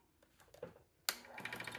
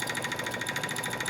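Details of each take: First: 10x18 wood lathe turning a just-under 7 by 4 inch blank on a faceplate after remounting and tightening everything: motor spins up to a steady hum with a light rhythmic pulse from the still-uneven blank; some wobble but far better; normal running. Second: Wood lathe (10" x 18"), turning a blank just under 7" x 4": a high, thin squeak pulses about eleven times a second over the motor hum. Owner suspects the tailstock or a wheel; unconfirmed.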